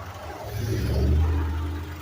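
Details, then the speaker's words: Blue PT Cruiser, warm idle parked at roadside while checking heat-needle concern and radiator fan: steady low, even idle with no knocks or misses, no smoke or overheating; working as it should. "Everything appears to be working as it should."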